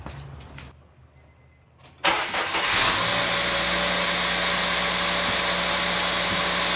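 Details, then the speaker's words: 2003 Acura RSX Type S with AEM cold air intake replacing stock airbox: quiet start, engine catches into a loud, airy intake hiss and whoosh over a steady run; intake sounds healthy. "I also put in HIDs and fog lights over there for those interested this is what the cold air intake sounds"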